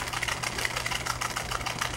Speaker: la bomba de acá está defectuosa por eso tiene ese sonido normalmente debería solamente zumbar casi imperceptible al oído pero ahorita está sonando horrible porque está muerto la bomba